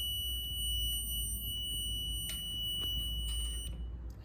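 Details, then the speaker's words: Ducati not starting after a decade, side stand switch checked with a multimeter in continuity mode: a steady high beep holds, then cuts when the stand goes up; the switch works normally and is not the cause. "I'm just going to touch these two pins together we get a little beep I'm going to touch these together we have continuity"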